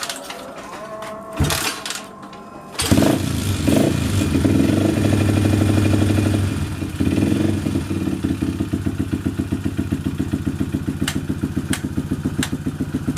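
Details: A Yamaha Jupiter MX (old model) motorcycle engine is test-run after its clutch plates were replaced. The small single kicks over, revs briefly, then settles to an even, steady idle thump. Normal running.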